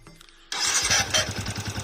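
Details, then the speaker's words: Yamaha Vixion motorcycle electric starter making a harsh, raspy whir over steady chugging pulses while cranking; abnormal starter motor noise, cause suspected but not confirmed. "Hai Katanya kenapa ini penyebabnya staternya ada bunyi kek mana nih"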